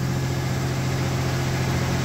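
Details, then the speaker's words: 1989 V6 Mitsubishi Pajero, first cold start after three days sitting, new stainless extractors and exhaust studs replacing leaking manifold: smooth even low drone at steady idle, no ticking or puffing; leak fixed. "all right first start stainless steel extractors there we go it's been sitting for three days damn cold good job brass no more exhaust leak how good is that"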